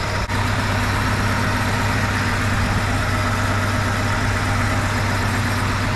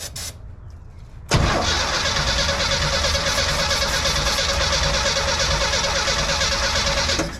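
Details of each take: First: 1971 Chevy C10 idling after cylinder temperature checks; some occasional gurgling possibly sticky exhaust valves, coolest cylinder number one: smooth, steady low rumble, no knocks or hunting, both hoses pressured up; sounds great, normal idle. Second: 1971 Chevy C10, ignition system untouched: starter cranks the six evenly for about six seconds but it never catches; no spark seen; points possibly bad, distributor cap to be pulled; crank no start.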